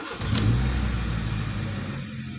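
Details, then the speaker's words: Honda Jazz VTEC i-DSI petrol (2004–2006) with misfire and oil leak complaints, first start after injectors were removed: catches on the first try, revs smoothly, settles to an even low hum with no misfire or knock; normal start. "Oke, berhasil pada percobaan pertama, teman-teman."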